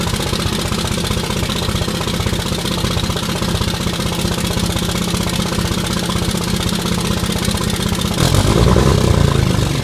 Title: 5.9 Common Rail idle with six bad injectors